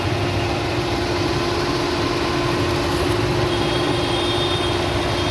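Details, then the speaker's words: Freshly rebuilt Suzuki Alto engine idling on test with an acceptable oil level; the engine is still cool. A quiet, steady, even hum with no knocks or ticks; the engine sound is very low. "And the engine is cool. It's not hot. It's quite. And the engine sound is also, it's sort of very low."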